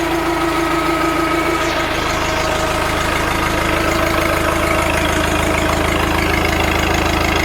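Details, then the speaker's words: Old New Holland with a non-original Wisconsin engine and a bad starter (usually kick-started): loud, even idle with a steady exhaust beat, no misses or knocks; normal healthy idle. "Listen to that exhaust. Sounds awesome. Runs great."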